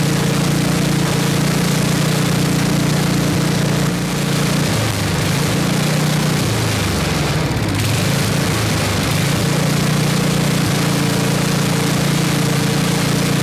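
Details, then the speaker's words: 1979 Toro 826 snowblower, 8 hp Briggs & Stratton, after carburetor cleaning: steady single-cylinder drone sags briefly midway then recovers to even speed; runs strong, but not hitting idle, owner says out of adjustment. "it's definitely not adjusted properly so we need to figure out what why it's out of adjustment it's not hitting idle this but it runs strong right started right up"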